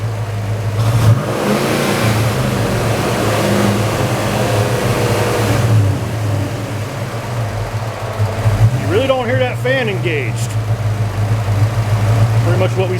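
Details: Hayden 2797 viscous fan clutch on hot engine at 200° coolant, parked, reached 230 earlier: revs rise and fall but no fan roar builds; clutch not locking, clutch failing.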